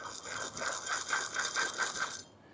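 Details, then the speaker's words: Worn wheel bearing behind the hub: a gritty, rhythmic rattle pulsing about four times a second as the hub turns, rising in rate with speed; the tire can be rocked. "So, you'll hear it a little bit and as you go faster, that rotation will get higher and higher and higher."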